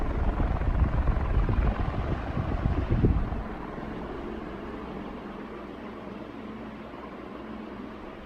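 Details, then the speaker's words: 1981 Evergo 36-inch industrial ceiling fan, model 3E-6, heavy cast-iron motor with light aluminum blades, about 40 years old, at roughly three-quarter speed: steady low whoosh of air, even and unwavering after the speed change; normal smooth running. "all right we'll move it up to about three quarters way to full speed starting to crank out some serious amount of air now"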